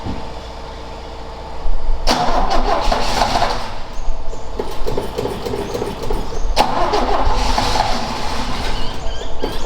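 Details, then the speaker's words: Ford XA Falcon parked outside for years: steady cranking bursts with no firing after refilling the float bowl; distributor cap in poor condition and float bowl found empty, spark or fuel trouble suspected. "it wasn't a very good distributor cap either I might have to Chang it out and see if that's in better but the flood B was empty"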